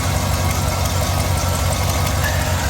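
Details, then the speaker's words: GMC Denali 6.2 L V8, year and mileage unknown, hail-damaged auction vehicle: steady deep idle burble with an even low rumble and no knocks or misses; not the healthiest but not bad. "she all sounds like she'll sound like she runs the healthiest but i mean it's not bad it's not bad by any stretch the imagination"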